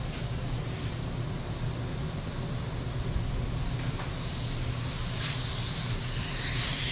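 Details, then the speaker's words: Paint spray setup with DeVilbiss FLG4 gun: constant sharp high hiss swelling slightly, air leaking from a faulty air regulator. Air regulator leak. "Yeah, this regulator is bad. It's leaking out everywhere."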